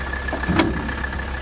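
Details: 1985 Mercedes 300D with OM617 turbo diesel, vacuum pump out, oil leak suspected from the turbo line: steady low diesel clatter at idle with a faint whistle; engine runs normally.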